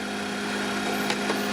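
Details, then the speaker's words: Danfoss-type 12-volt compressor salvaged from an Evakool fridge freezer and recharged with about 40 grams of refrigerant. A steady, even, low hum at a constant pitch with no knocks or rattles; it runs smoothly and cycles off properly. "Works quite well it's cycled off and it's um works very well I'm happy with that"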